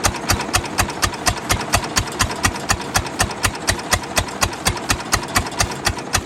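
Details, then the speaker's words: 1929 Ford Model A four-cylinder, abandoned 75+ years, after timing advanced: sharp, unevenly timed ticking about twice a second over a rough, lumpy idle; a valve is still stuck, running on about half a cylinder. "she's a runner but not a good runner yet let's see is that thing that thing is still stuck what's up with that"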